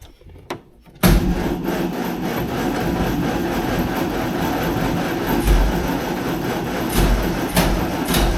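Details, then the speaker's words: 1948 Morris 8 Series E, sat many years, SU fuel pump suspected dead or tank line clogged; steady rhythmic cranking churn for several seconds with no catch or firing. Cranks but won't start, fuel supply fault. "I'm gonna crank it over and just see if any fuel comes through from the fuel pump."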